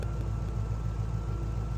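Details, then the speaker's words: GMC Squarebody truck with LS V8, now on a Holley Terminator X ECU: steady, even idle firing on all eight after the misfire was fixed by tightening a loose, dangling ground wire bolt at the back of the cylinder; normal idle before a test drive. "oh yeah I got all eight again yay time for a test run"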